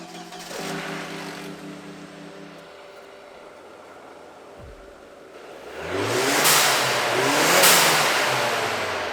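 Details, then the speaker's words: Turbocharged car, engine cold, revved while diagnosing a boost leak: engine revs, then two sharp airy whooshes on throttle lift; clean venting, no turbo flutter, so the valve is working properly. "Secondly, you guys heard it, right? There was a blow-off valve noise."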